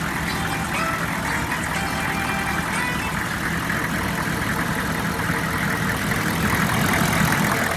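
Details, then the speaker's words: 2002 Chevy 3500 utility truck, 64,456 miles, started on jump boxes and starting fluid, after about 20 minutes of running: a steady, even idle with no knocks, misses or squeals. It has not overheated and revs up nicely. "It's been running for about 20 minutes. Has not overheated. It idles smooth. It revs up nice."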